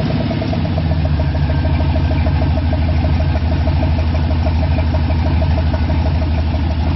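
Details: First start after rebuild with new gen 4 rods and pistons, new oil pump, new cam and lifters and all new gaskets, before tuning: deep, even V8 idle with steady low rumble, no knocks or ticks; engine sounds healthy.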